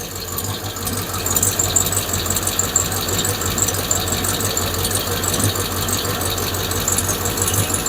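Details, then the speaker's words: 5.7 Hemi V8 at idle after replacing faulty lifters: the lifter tick is gone, but a light, quick ticking of about three a second remains, suspected to be an exhaust leak. "Well, I'd have to say the tick is gone. It's just I got an exhaust leak. That's what we're hearing now."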